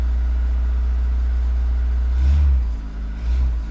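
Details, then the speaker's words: 1989 VW Golf Cabriolet Wolfsburg with an intermittent fuel delivery problem, pumps replaced five years ago: restarted next morning, it catches and settles into a steady low idle with no stumble, fuel pump whine barely audible; owner suspects the pump is failing. "Fires up. I did just notice actually that when I turned it on, I could hardly hear the fuel pump, which is interesting. But it's just fired up and it's back to normal."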